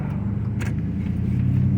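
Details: 2005 Chevrolet Silverado, slowing gently to a stop: low buzzing pulsation with the brake pedal moving and feeling spongy; a faulty front wheel speed sensor is triggering ABS activation at low speed.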